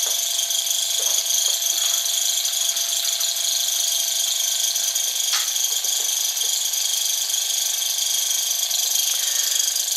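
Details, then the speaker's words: Small model Stirling engine on an alcohol burner with a kitchen-towel wick, running fast: light, high-pitched whirring rattle, drive belt squeak earlier; running well. "So there we go. That's running like a good one, isn't it?"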